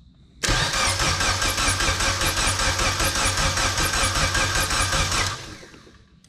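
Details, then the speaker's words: 1988-91 Honda CRX during AWD swap: strong, even cranking for about five seconds that never catches even with ether; engine turns over healthily but has no spark because the ECU is blank with no tune loaded. "now that to me sounds like a nice healthy motor it's turning over"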